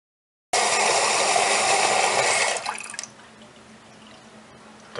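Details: Toilet after replacing the fill valve with a new Fluidmaster 400A, because water kept running into the tank: strong rush filling the tank about two seconds, then flow drops off cleanly; refills and shuts off normally.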